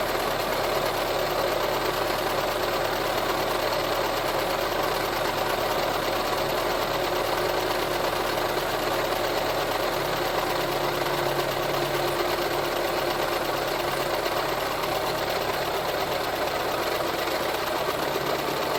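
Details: VW Touran 1.4 TSI petrol engine after rebuild and reassembly, idling with a busy, rattly metallic clatter from a water pump pulley that has play in it.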